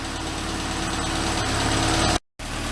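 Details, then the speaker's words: Classic Mini van first start after restoration, new coil had intermittent fault so old coil and HT leads fitted: steady even tickover, smooth low hum, no misses or knocks; normal idle. "right okay boys so that's the running like i say we've used the old coil and those ht leads as well we just use them as a diagnostics off my blue mini to try and figure out exactly what was going on"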